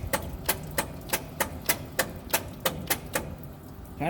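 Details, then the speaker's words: Old truck engine, cranked with choke set and gasoline poured in: slow, even cranking about three beats a second, no firing. Cause found to be the bad original/old ignition coil; a borrowed coil restored spark. Crank, no start. "okay we're back so we determined that the coil on the engine was bad it had the original coil on or an old coil on it"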